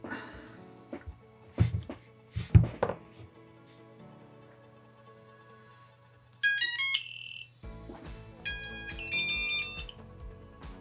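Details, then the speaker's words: FPV drone build, standalone lost-drone buzzer wired to ground and 5 V, first powered on: two bursts of bright stepped high-pitched beeps about a second each in quiet room; buzzer powered correctly. "le buzzer autonome s'est allumé, il est alimenté, c'est parfait."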